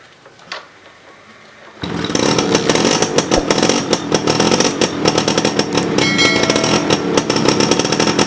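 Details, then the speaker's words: 1987 Suzuki Jet Cooled 100cc two-stroke: quiet at first, then catches into a busy, raspy two-stroke buzz that holds steady with no knocks or cut-outs; normal running. "Oke, mungkin rasanya kurang lengkap kalau tidak mendengar suara langsung dari Suzuki RC-Z Colet tahun 1987 ini. Nanti teman-teman akan dengar suaranya seperti apa."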